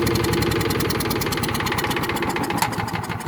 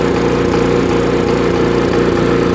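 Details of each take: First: Small single-cylinder chipper/shredder engine after carburetor cleaning and bending a tab to hold the button, air filter off. It chugs steadily at a fast, even beat, fading slightly but holding. Normal running. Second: Chipper/shredder small engine after a carb cleaning, run without its air filter: it runs but stumbles in short regular dropouts because the switch contact won't stay on the button; the fix is bending the contact down.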